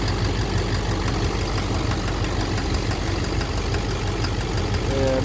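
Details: 2009 Silverado 3500 Duramax LMM diesel, 59,900 miles, cold-start morning, idling in neutral: rough knock about three a second through idle, louder in gear; suspected engine/bottom end, injector or cracked flexplate considered, oil analysis clean; source unknown.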